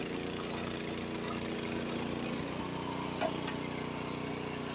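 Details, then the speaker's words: Honda HS80 snowblower, fast throttle set to spec at 3600 rpm, first gear taking a full bite of snow: the engine holds a steady, strong note with no bogging and throws snow farther. Normal engine under load. "it doesn't appear to be bogging down at all and as you can see it was throwing it much further"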